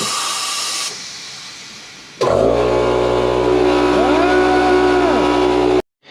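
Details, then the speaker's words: Mazda RX-7 FC3S pressure-tested with intake off before dyno: sharp steady hiss of air escaping from the vacuum line removed from the fuel pressure regulator, then running engine whine; that old line is a likely source of the boost leak. "this line here we pulled off the fuel pressure regulator because it was giving a bad source for vacuum and it was it worked better once we got the new vacuum source on there but it has definitely got air coming out of it"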